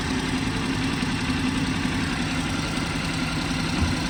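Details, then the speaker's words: BMW 118i 1.5 Sport idling with a flashing engine management light: coarse, shaky idle with an uneven low rumble and rattling, and keys placed on the engine rattle from excessive vibration. Finding: engine misfire. "So today's the 23rd, I created a video yesterday, look, flashing engine management light, instant flashing engine management light. And then if we pop the bonnet, the engine has excessive vibration."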